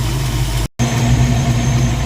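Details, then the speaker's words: Ford 302 V8 in a Mustang after re-setting timing to about 16–18° (was 10–12° and backfiring): steady, even low rumble holding a healthy 900 rpm, idle slightly high, unadjusted; normal idle. "it's holding a healthy 900 RPM idle and I haven't adjusted anything so the idle's a little high"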